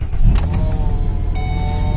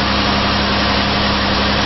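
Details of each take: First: 2008 Mazda Tribute 3.0 L V6 at idle, before repair: steady whirring whine with chirps over the serpentine belt drive from a worn idler pulley bearing; fix was replacing the 203-FF bearing in the roughly 15 cm idler pulley. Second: 2008 Mazda Tribute (Ford Escape), after replacing the 203-FF bearing in the serpentine belt idler pulley: even steady idle with no chirp, squeal or growl. Sounds normal again; normal idle.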